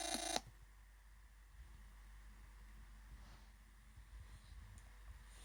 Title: Chromebook Pixel Ubuntu weird noises